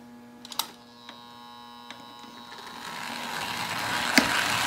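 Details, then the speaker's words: American Flyer 342 switcher locomotive after full teardown and cleanup, power ramped up from very low; steady electric hum with a few clicks rising in pitch, motor running smooth and healthy. "Very low power. Ramp it up a little more here. Off she goes."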